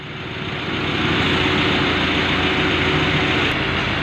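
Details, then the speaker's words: Mitsubishi L300 FB with engine running and aircon on, after repair and recharge to 40 psi suction: steady, even hum with no compressor drone; the droning noise is solved and it cools well. "So ayun mga tol, natapos na natin itong FPL 300. Bali na-solve na natin yung ingay na naririnig nila, yung ugong."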